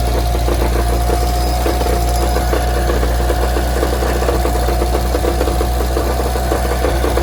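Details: Evo engine idling with a loud, fast metallic rattle-knock felt at the bottom of the oil pan; quiets significantly with clutch depressed. Balance shaft belt and rod bearings new, accessory belt removed, no crank pulley play. Cause: wobbling, loose flywheel.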